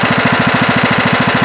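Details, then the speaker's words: Late-1990s Scotts lawn tractor with a single-cylinder Kohler engine, after carburetor cleaning and reassembly to cure surging: quick, even chuffing at about thirteen beats a second, smooth low idle with no misses or surging; normal running. "really smooth there low idle also that feels a lot better"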